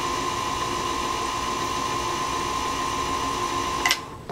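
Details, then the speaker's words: Singer Featherweight 221 sewing machine motor, after repair of damage from wrong lubricant, belt turning balance wheel but not needle shaft; smooth, steady high hum, even pitch, no grinding; normal no-load run. "coming over the balance wheel with a belt so I guess technically there's some modest load on the machine but it's not turning the shaft that goes to the needle"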